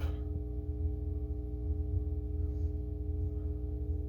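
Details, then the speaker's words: Atari Asteroids arcade cabinet power supply switched on via interlock with game board and monitor disconnected: constant low hum with steady buzz on top; buzz probably from lack of a signal, unconfirmed. "this will turn it on pull the interlock got a bit of buzz that's probably from the uh lack of a uh signal"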